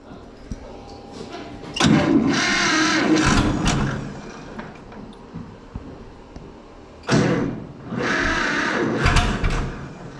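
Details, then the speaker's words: John Deere 530 two-cylinder tractor, not run for a while, cold winter weather, battery known shot, given a starting aid: two rough cranking bursts with uneven chuffs that try to catch but die away; hard starting, cold engine reluctant to fire. "It's trying. Give it a little bit of throttle."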